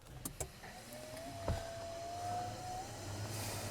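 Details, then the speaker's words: 1964 Aero Commander 680 FLP that sat 20 years in a hangar, powered up on external power: a smooth mid-pitched tone climbs steadily as the avionics fans spool up, with no grinding or rubbing. A normal power-up; fuel systems and EGTs also come on. "Damn. Avionics fans on. Fuel systems, EGTs are on."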